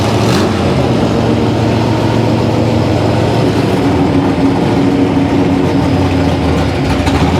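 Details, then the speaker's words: Fresh-built 350 small-block Chevy with solid lifters, about 440 hp, for a 1967 Camaro: deep rumble loping and stumbling at low revs; carburettor being tested and the engine is losing ignition timing at the bottom end. "testing carburetors actually uhing here but what's happening is we are losing our timing on the bottom man"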